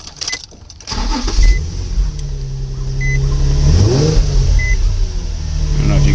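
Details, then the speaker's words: Nissan 350Z with 109,375 miles, serviced on time with oil changes every 3,000–4,000 miles and a new battery: brief cranking catches cleanly into a steady idle, then a smooth rev rises and settles with no knocks; normal healthy start, "typical Z". "hear that sounds like a typical z"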